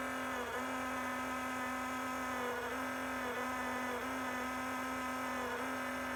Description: Enermax liquid CPU cooler pump failed spectacularly after 9 months of use on an Intel 10600k CPU, not overclocked.